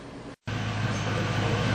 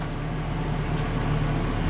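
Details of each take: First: Engine idling after fixing a misfire caused by a damaged spark plug: steady even low hum with no puffing or skipping beats — smooth normal idle. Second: Ford Crown Victoria idling with an uneven beat and occasional stumble, an irregular misfire blamed on a spark plug gapped wrong or bent too close; the bad plug is not yet identified.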